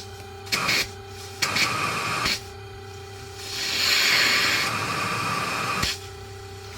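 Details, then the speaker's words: ResMed CPAP, nearly 5 years old, reassembled after cleaning: steady high whine under airy hissing that rises with airflow; motor/turbine suspected failing. "Still a bit of a whine. Sad face. Oh. Still a little bit of a whine. Yeah, maybe the motor shot. That's pretty bad."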